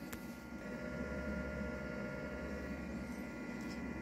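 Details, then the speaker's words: Allpowers S2000 Pro solar generator powering a 500 W heater during an AC drain test, a few minutes in: constant electrical hum with steady high tones over fan rush, audible from the front, while wattage stays steady; cause of the hum unknown. "but it is making quite the audiable sound now don't know why but there's quite the hum and like in the front you can hear it even"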